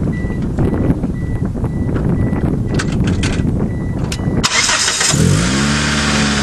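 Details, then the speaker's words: 1996 Mitsubishi Eclipse: chime beeping, a brief crank, then an even idle settling down with no belt squeal or chirp; belts quiet, nice and quiet the way it should be. "now nice and quiet the way it should be"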